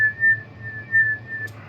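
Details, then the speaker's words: Yaesu FT-901DM transceiver being zero-beat with microphone held near it: steady high whistle near 1.8 kHz swelling and fading slowly about once a second; slow beat means it is nearly zero-beat. "use the old Collins Canary thing called zero beating and the faster it moves the worse you are so this is specifically going to be how I zero beat one of these"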